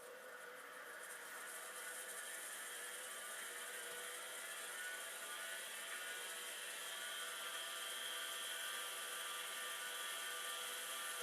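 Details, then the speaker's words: Drive spin-up on an Amiga 2000 setup (possibly Commodore 9090/9060 drive), power light doing nothing: thin steady high whir with faint uneven rasp; spins but sounds slightly rough, not terrible. Cause not confirmed. "The drive is spinning. It doesn't sound particularly happy, but, you know, it doesn't also sound particularly terrible either."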